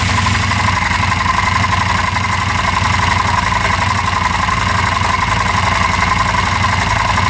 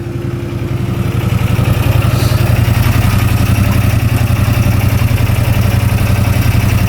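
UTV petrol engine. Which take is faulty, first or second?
first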